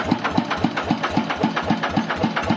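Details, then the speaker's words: Idling TF115 motorcycle engine upgraded to 150, sharp even ticking about four times a second from excessive valve clearance (loose tappets), heard before adjustment; valves should be set with the engine cold. "เสียงแบบนี้นะครับโอเคว่าปัญหาครับก็จำไว้นะครับเสียงเสียงแบบนี้เดี๋ยวเราตั้งเสร็จก็จะให้พี่น้องฟังอีกรอบนะครับ"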